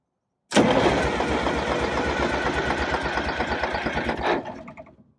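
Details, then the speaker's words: Detroit Diesel 6V92 in an MC9 bus, cold start with no pre-warming: it catches, runs rough and uneven for about four seconds, then dies, maybe only one or two cylinders firing; owner suspects leaking or clogged injectors or stuck piston rings. "it starts don't want to go again all right we'll do it again it sounds like I don't know maybe one two are firing"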